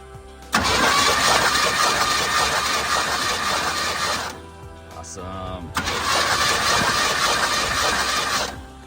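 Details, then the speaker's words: 1972 Chevy C10 with a 402 big block, a flood survivor that has not run for nearly 30 years, cranked via a remote starter on a partly charged battery with the plugs pulled: two even, quick cranking runs without binding. The engine cranks freely. "I just need to know if this thing turns over. Charged up the battery somewhat. Fire in the hole."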